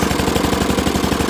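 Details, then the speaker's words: Dixon ZTR Kodiak SE mower, first start after charging, choke on, half to full throttle, brake on: starts fast but runs loud and rough with a harsh, rapid popping beat over a raspy idle; owner suspects an exhaust leak, cause unconfirmed. "That ain't right. Something off about this. But I mean it came to life fast. It is loud. Sounds like I got an exhaust leak."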